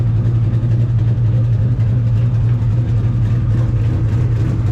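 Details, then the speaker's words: 2003 Mustang GT with a cammed 2-valve V8 swapped in: deep, choppy idle lope pulsing about three or four times a second, normal cam chop; the exhaust is separately rattling against the body on one side. "Not bad, not bad. About a little 2-valve cam chop."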